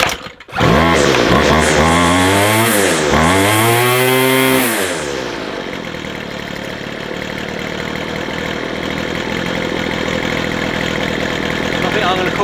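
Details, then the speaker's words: McCulloch 250C XL X-series two-stroke strimmer after carburettor repair; a few sharp revs then a steady, even buzzing tick-over without stalling or hunting, restarts at idle; runs fine. "Ticks over nicely. Turn it off. Back on again. Will it start on tick over? Yep. Nice."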